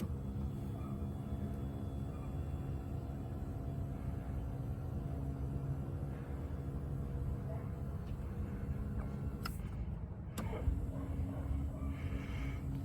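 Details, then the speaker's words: 2003 Toyota Highlander power seat moving forward after the seat was removed and its track gears greased: steady, even motor hum with no grinding, squeal or catching. The seat travels freely and sounds much better than before. "sounds a lot better than it did. For instance, when I move it forward, that's what it sounds like."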